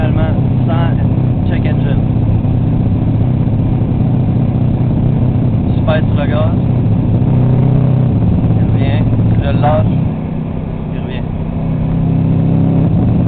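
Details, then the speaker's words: Subaru EJ22T turbo engine misfiring at about 4000 rpm in any gear: sharp crackling pops in irregular bursts at high revs, sounding like an anti-lag system. Nearly everything has been tested without finding the cause. "Bon, donc, on a un problème de misfire à haut RPM dans n'importe quel gate."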